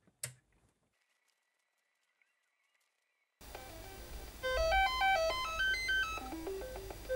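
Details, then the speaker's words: Commodore 64 SID sound chip tested with a dead test cartridge: silent about three seconds, then the tune starts abruptly with volume cutting in and out; faulty SID chip. "well we got some sound but the volume seemed weird in there it seemed to be cutting in and out"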